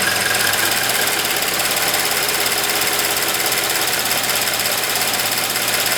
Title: Subaru BRZ High Pressure Fuel Pump Chirping Noise at Idle.